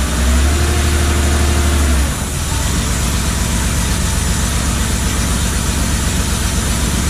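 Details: Porsche 911 project car on its first start after wiring pins were corrected: the engine fires and runs with an even, throaty pulse, then settles into a steady rumble without misfires; running properly.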